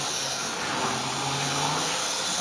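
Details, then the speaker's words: Model railway locomotive (Triumph/Hornby) running: thin, steady high whistle over the soft motor hiss, holding pitch; owner thinks it comes from the motor itself, cause not confirmed. "got a little bit of whistling going on, but again, I understand why Triumph and Hornby works with an engine system. You can hear it whistling a little bit, but I think that's more the engine compared to itself."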